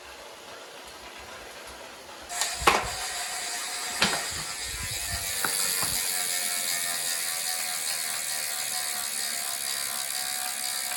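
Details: Saris H3 bike trainer: several sharp knocks as it spins up, then a steady ratcheting whir; a knocking issue.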